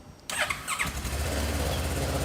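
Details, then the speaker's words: Motorcycle that sat unstarted for six years, after the fuel pump was cleaned of heavy gunk from the tank and the system primed. The starter whirs and it fails the first tries, then catches and settles into a steady, even idle. "She's trying. But a couple more times and she fired up."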